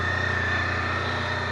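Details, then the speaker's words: Honda Pan European ST1300 idling: a smooth, even low purr with a steady fast beat and no knocks or rattles. Normal idle; the bike is described as very quiet, even at high speed. "Elle est très silencieuse, elle fait pas beaucoup de bruit, même à grande vitesse."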